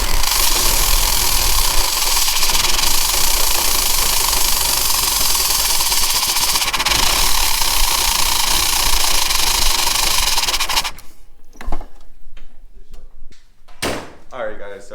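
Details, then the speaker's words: 1989 Jeep Wrangler YJ: runs loud and uneven for about eleven seconds, then drops out and dies; won't idle without throttle to get fuel-air in, fuel spray pattern shown; parts ordered, cause unconfirmed. "es it'll start and yes it'll run but you need to have your foot on the gas at least to get some of that fuel air in there"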